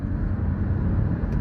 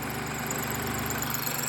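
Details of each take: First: Third-generation Mini Cooper that stalled after sucking a rag into the turbo inlet, rag removed and fault codes cleared, driven under acceleration: a steady, even low rumble with no knocks or misses; it pulls smoothly with full power. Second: Third-gen MINI Cooper that stalled on start, codes for rich mixture deviation: uneven lumpy idle, strained hollow note; charge pipe after the turbo fully collapsed, a rag left inside blocking it, likely from the battery replacement.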